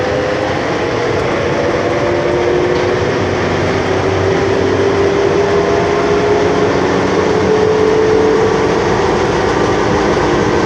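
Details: Metro train H22 with door-closing fault: steady rail rumble with a faint, slowly rising whine as it pulls away; abnormal motor noise, cause unclear.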